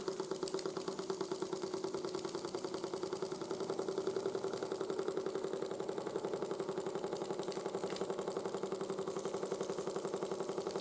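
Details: 1914 Ernst Plank 114/1 vertical steam engine after running-gear rebuild and repaired crank web: steady smooth chuffing, three to four strokes a second, quieter than before, faint clunk; slight residual crank knock, slight flywheel wobble.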